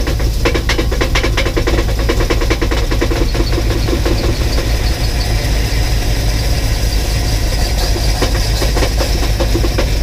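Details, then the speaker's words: 1984 box truck at its first start in years, with a new ignition cylinder, running on 15-year-old fuel and no oil pressure gauge. Steady idle with a quick, sharp knock in time with the engine; there is a known exhaust leak tick, but the owner suspects a cracked or loose flywheel or torque converter. "what I'm hearing doesn't sound like an exhaust leak tick it sounds like something like a flywheel like a cracked flywheel or a loose flywheel or torque converter or something like that"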